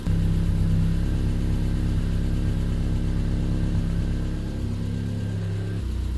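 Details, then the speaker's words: Triumph Spitfire with rebuilt engine, choke going off, no cooling system fitted and steam appearing: smooth, even idle about 900 rpm with a steady low hum and no misses or knocks; healthy engine, perhaps slightly ticky. "To the idle. That's running really well. Wow. Engine sounds absolutely sweet."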